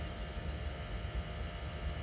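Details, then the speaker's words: LPG boiler fitted a year ago, fired at 100% after adjustment, settling near 10.3: low, steady burner roar with no whooping or pulsing; normal combustion, no noise. "So we're starting to get there, starting to settle. But there's no noise if you listen."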